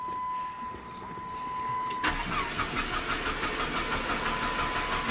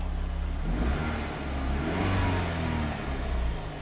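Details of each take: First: 2005 Chrysler PT Cruiser 2.4 L turbo, 5-speed manual, start-stall complaint; camshaft position sensor unplugged so it runs on crank sensor only. Engine runs unevenly and lumpy with a stumbling beat, then stalls. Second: 2005 Chrysler PT Cruiser 2.4 L turbo, 5-speed manual, start-stall complaint; scope on PCI bus shows 0–8 V and the immobilizer light is off. Engine revs smoothly up and back twice with no misses; known-good running.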